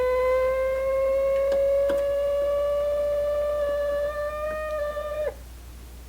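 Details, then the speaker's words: 1951 Zenith Cobramatic in phono position: steady high whistle with overtones rises in pitch, then cuts out as the oscillator tuner is adjusted. The pickup-head coil's oscillator drifted from its 2.5 MHz design frequency, causing the shriek. "So what we've got to do, this adjusts the frequency of the oscillator, and we've got to get it, the circuit is built to receive that 2.5 megahertz signal, and when it's drifted too far out in that direction, it makes that noise."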